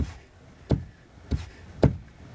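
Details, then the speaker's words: Steering shaft universal joint (cross) play gives dull, sharp knocks about twice a second as the wheel is rocked in place; the knock appeared after the steering rack was installed; fix is re-centering the joint and tightening its 13 mm bolts. "вот он стук пожалуйста на одном месте этот лев появился после того как установил яду рейку"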